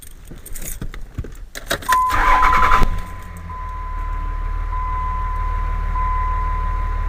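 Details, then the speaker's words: 2003 Dodge Ram diesel after replacing the MPROP/FCA (Bosch 0928400666) to cure surging, rough idle and stalling: starts at once and settles into a smooth, steady idle with no surging; door chime beeping. "we're talking smooth, baby. Oh, that's always nice when that happens."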